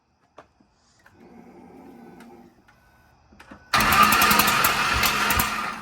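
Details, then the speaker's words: 2007 Mustang GT with a built 4.6 3V single-turbo engine (1200+ hp), first crank with no coil packs in clear flood mode (gas floored): the starter spins it briskly with even compression pulses and sounds healthy, but fuel pours from the injector O-rings. "Well, boys, good news is it sounded like a crank somewhat healthy."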